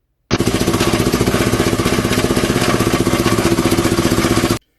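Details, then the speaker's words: Sharp, raspy puffing about four per second riding over the engine, loud and ticky like escaping gas, from a hole or leak in the exhaust. "esse barulho é escapamento, dando alguma vazão ali, algum furo."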